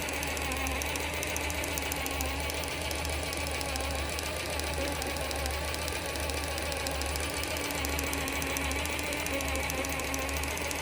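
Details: Axial SCX10 III RC crawler: a fast, steady ticking rides over the electric motor whine throughout. The drivetrain click was absent when first assembled and has since grown quite loud.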